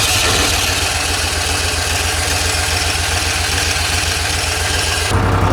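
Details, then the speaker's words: 2009-2015 Club Car XRT 950 small engine at a steady, even idle with no stumbling or surging, choke not pulled, just after carburetor removal, jet cleaning and a new fuel filter to fix hard starting and rough running; now running well. "Seems to be running good. Obviously forgot to pull the choke, but it's running great."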